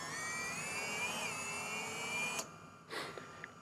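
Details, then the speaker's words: Airgineers Tyrant S racing drone armed on the bench without propellers, throttle raised slightly: high, clean brushless motor whine rises gently, then cuts off sharply on disarm, no rasp or stutter; motors healthy unloaded. "and I can then gently increase the throttle just a tiny bit, because without propellers on we don't want to increase it too much. You can hear the motor speeding"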